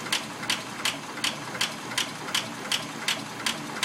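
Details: Packard engine with crisp, sharp ticks repeating evenly at roughly 160 a minute over a quiet engine; a classic hydraulic lifter tick.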